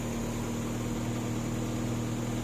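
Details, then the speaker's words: 1999 Kia Sportage after the fan belt was replaced and re-tensioned to fix overheating: smooth, even idle with a steady low hum and no belt squeal, whine or bounce; normal idle, though a vacuum leak is still suspected. "so again and there's no squealing no whining the belt's not bouncing so i think that is a good tension for it seems to be happy now"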